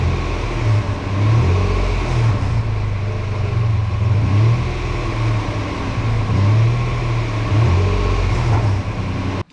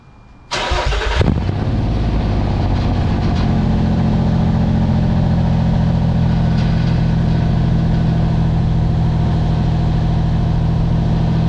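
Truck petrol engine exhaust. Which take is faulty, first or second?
second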